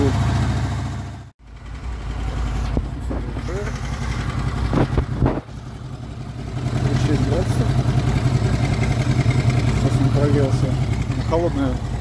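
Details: Honda VFR800 VTEC V4 with 58,200 km, before timing chain replacement: at idle a fast, uneven knock of about three beats per second that picks up with revs, heard mainly on the right side from the front cylinder; engine knock.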